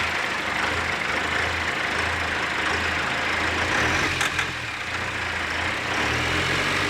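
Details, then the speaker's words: 1995 Dodge Ram second-gen diesel in the Edison prototype build: steady idle with one short sharp tick, a brief fuel knock the builder is sure was an air bubble in the fuel system. "A little fuel knock there. You just heard that little tick, and that was just an air bubble in the fuel system, I'm sure."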